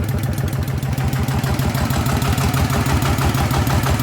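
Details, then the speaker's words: Single-cylinder RT120 diesel upgraded toward 15 hp with a performance cam (not valve-relieved), running after the build; quick, even thumping with steady clatter and no knocks or misses, judged okay with good low-rpm power. "อ่ะโอเคนะครับสำหรับเครื่องนี้นะครับถือว่าอ่าใช้ได้นะครับอ่าเสียงก็โอเคนะใช้ได้อยู่นะครับอ่ะเดินเบาได้นะครับ"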